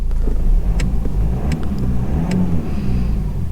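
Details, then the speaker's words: 2004 BMW E46 320d Touring diesel, 110,000 miles, just started after about 10 days sitting, low on diesel: steady idle clatter with a short clean rev, no knocks or rattles, no warning lights; engine sounds fine. "Not much diesel in her, thanks very much. But, in fairness, that is alright. No warning lights on."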